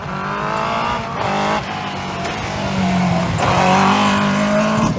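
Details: 2001 Yamaha R1-engined dwarf car with modified square chassis at autocross: high-revving engine climbs under load but keeps stumbling and briefly cutting out, pitch dropping each time; misfiring under load.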